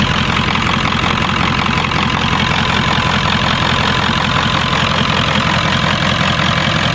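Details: 1996 Ford F-350 7.3L Powerstroke V8 diesel, test start after the electronic fuel conversion replacing the mechanical lift pump and fuel bowl; steady, even idle clatter with no hunting; no leaks, idling normally.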